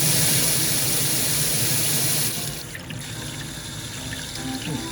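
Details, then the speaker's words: Kitchen drain after pressure-washing out a blockage: steady loud rush of water at full tap flow, draining freely with no water backing up; rushing sound is air drawn in with the heavy flow, unrelated to clogging. "หลังจากน้ำไหลทำให้เกิดเสียงเนื่องจากมีน้ำไหลผ่านมากเป็นเสียงของอากาศที่ถูกดูดเข้าไปเพื่อระบายออกเสียงนี้ไม่เกี่ยวกับการอุดตัน"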